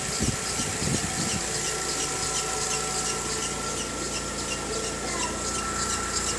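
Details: VW Gol G6 2013/14, mainly on cold morning starts: thin steady high squeal over idle, unchanging; dealer first blamed a too-hard alternator belt, but the fault was the timing belt, replaced under warranty.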